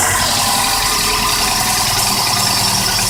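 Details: 1986 Volvo 240 cold start: harsh, rattly clatter over a loud cold idle with no clean rhythm; owner attributes it to piston slap, not confirmed.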